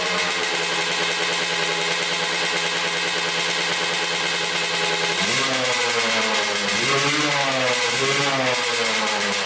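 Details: 1986 Kawasaki KX125 two-stroke with a still-leaking carburetor needle and seat: the engine holds revs, then the pitch sags and bogs badly at full throttle. The owner suspected the power valves.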